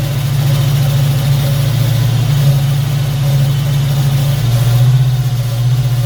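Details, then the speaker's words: Foxbody Mustang V8 after distributor swap, idling during scanner cylinder balance test: loud steady low idle drone with only slight dips as cylinders drop out; no clear dead cylinder, all seem to fire. "all right so seems like all the cylinders are firing at least"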